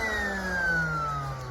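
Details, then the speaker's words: Qualcast Concorde electric mower used for raking: light free-spinning motor whine slowly dropping in pitch with no cutting load; tone changed suddenly as the toothed cutter drive belt snapped, motor runs but cutters don't spin. "the old blades are not spinning. Motor's still whizzing away, but the actual cutters are not doing anything at all."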